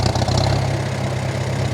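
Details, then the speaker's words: 1947 Farmall M four-cylinder tractor, first start after sitting all winter with year-old regular pump gas; low, lumpy idle stumbling and surging; rough running, owner suspects water in fuel despite draining and adding five gallons fresh. "as you can hear it's still running quite rough"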